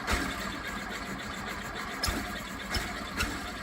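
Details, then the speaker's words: 1969 VW Beetle air-cooled flat-four, not running for months, after carburetor install: labouring crank with few irregular pops about a second apart, never catching; timing light shows intermittent spark, suspected coil, rotor, distributor or points; hard start. "Um, we did put a timing light to it, and we're getting intermittent spark to the uh, spark plug. So, we feel like somewhere in that range is probably where our problem's actually going to be."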